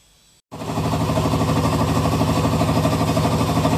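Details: Hitachi Beat Wash Slim washing machine running with a steady, loud clattering rattle pulsing about three times a second; owner thinks it may be nearing the end of its life, cause not found. Rattling during operation.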